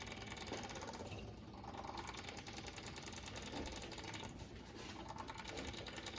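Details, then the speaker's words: John Deere 2038r tractor, engine off, key on after fuel filter change and sediment bowl drain: electric fuel pump ticks quietly about three per second, filters bubbling as it pushes air out while priming. "i just let it sit until this fills up with fuel and you can hear your fuel filters bubbling and once your fuel pump stops making that weird noise and it sounds like it's got good very good prime i'm going to cut it off"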